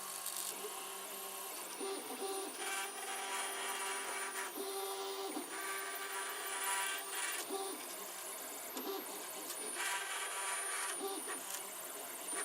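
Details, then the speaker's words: 3D printer, many hours into a print: uneven whirring stepper chatter in bursts every second or two with faint fan hiss; owner suspects the linear bearings, unconfirmed. "again that noise I think it is a linear bearings which have been small for bands"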